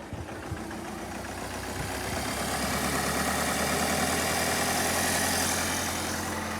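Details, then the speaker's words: Ford Galaxy Mk4 2.0 TDCi diesel idling rough and lumpy with a faint wavering beat, MAF sensor unplugged, running on all four cylinders just after injector coding; injectors still need a relearn drive. "So now it's still going to run a bit rough cuz it hasn't got the MAF sensor on it."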